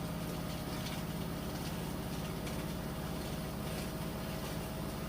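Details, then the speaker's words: Like-new Samsung front-load washer with a load, final spin near top speed, a tub pressure vent for vibration reduction: smooth, steady hum with faint motor whine, no thumping or rattle; spinning extremely fast without trouble, normal. "spinning extremely fast now and it's still speaking up so like I said when those come out they come out really light which makes for quick drying time"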